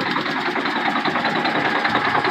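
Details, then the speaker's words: Cold Detroit Diesel Series 60 11.1 in a Freightliner FLD120 with bad injectors: lumpy idle with a faint knock under the clatter, running on nearly 2 cylinders. Owner suspects sticking or stuck valves from the cold and plans to pull the injectors. "She has a bit of a knock, but I mean, damn. Like those valves are sticking or something."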